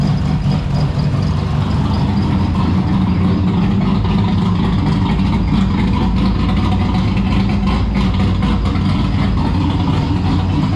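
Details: Turbo V6 Ecotec drift car on one of its first runs: a rough, loud idle with a steady metallic rattle on the exhaust note from a loose part in the y-pipe or rear exhaust; exhaust rattle at idle.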